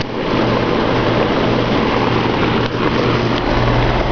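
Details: 2001 Ruud Achiever 10 heat pump, 2-ton 10 SEER R22 single-phase outdoor unit, in cooling mode: steady, even low hum with smooth fan rush, very quiet, no knocks or rattles; normal running.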